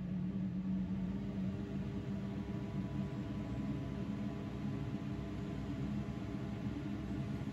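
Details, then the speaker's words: 5 kW Chinese diesel heater in a 1995 Chevy Astro camper van, lit after first start: a smooth, steady low hum with the fan whirr increasing and no rattles or ticking. Warm air is flowing and it is running normally. "you can hear the fan increasing i've got warm air"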